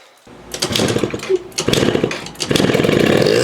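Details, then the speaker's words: Yamaha Vino two-stroke scooter with cleaned carb, no airbox, no upjet, fixed auto-choke line: catches in ragged bursts, revving unevenly and dropping out, fuel-starved; suspected blockage between carb fuel inlet and float bowl, not confirmed. "So somewhere between the inlet of the fuel going into the carb and the actual float bowl itself, this thing is just clunked up and damaged, and I can't see it."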